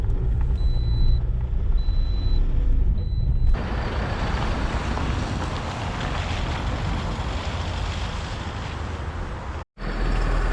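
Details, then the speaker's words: High-mileage Toyota Verso diesel idling, heard outside the car: loose uneven metallic rattle under the clatter that disappears whenever the clutch is pressed; worn dual mass flywheel rattle. "flywheel rattle that disappears whenever i put the clutch in"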